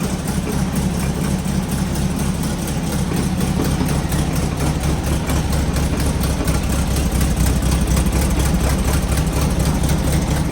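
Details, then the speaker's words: Engine installed new in fall 2018 with low miles: steady low idle rumble, even firing, no knocks or misses; runs great, though an aftermarket fan shroud occasionally bumps the fan. "okay so you guys heard it run Run's great always has"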